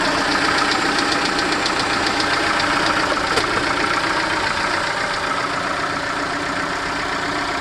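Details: Peugeot/Citroën TU5JP4 engine at cold idle; steady, fairly quick light ticking knock around three to four a second over the engine note, source unconfirmed; engine knock when cold.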